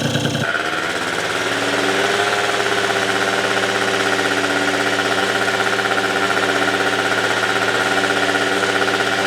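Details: Yamaha Zuma (vertical Minarelli) first fire-up on a new Polini Evolution 70cc cylinder kit with lots of assembly lube: fires, then settles into a steady, slightly slow rattling idle with a faint tick, idle low.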